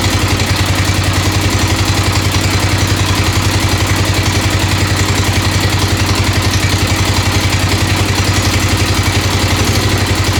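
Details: 1996 XR600R single on its first cold start on choke, loud steady thump at about 220 per minute with a faint tick on top. The owner suspects a valve adjustment is needed, right front.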